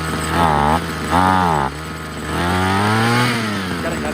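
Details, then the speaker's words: Ryobi CS26 two-stroke string trimmer: climbs in pitch then sags and labours when throttle is applied instead of picking up cleanly; bogging down at idle and on throttle, cause being diagnosed (carburetor, spark plug, spark arrestor suspected). "so i put on the gas it wants to bog down [Music] so why is that"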